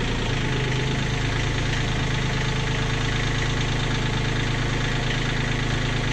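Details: Kioti CK20HS diesel tractor at constant idle after injectors were cracked to bleed air: even, steady clatter with no stumbling or surging. Whether it holds prime overnight is untested, and the owner is unhappy with the fuel pump.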